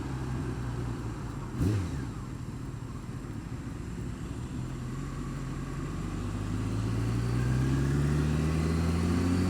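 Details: Honda Fireblade engine revving up with a light rapid tick over the rising note, worse when cold, quieter but still present when warm; cause of the ticking not identified.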